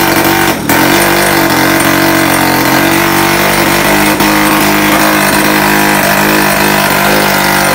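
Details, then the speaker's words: 1978 Puch Magnum X 50cc two-stroke project bike, non-running when bought, after fitting a closer-to-correct spark plug: even, buzzy two-stroke note holds steady without stumbling or misfiring; normal running. "she was alive and well after putting that new spark plug or the correct spark plug in so uh that's a plus"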